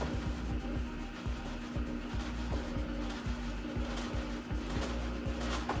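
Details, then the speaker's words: Samsung washer WA48H7400AW/A2 in test spin mode at about 200 rpm: a heavy, uneven thump about every two seconds under the spin hum as the tub bangs the cabinet, worsening with speed. The recommended fix is replacing the four suspension rods. "it starts normal but then it's gonna make a really really ugly tapping noise and right here you can see how fast it's gonna go"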